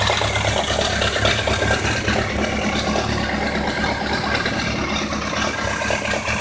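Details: 1999 BMW K1200RS motorcycle idling with an uneven light ticking and dull knock, roughly two per second, over the run; source not pinned down.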